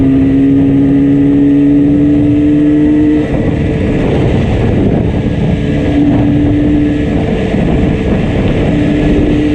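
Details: Yamaha RD350 two-stroke ridden home under load: loud drone that stutters and drops out irregularly, one cylinder cutting in and out; heavy misfire.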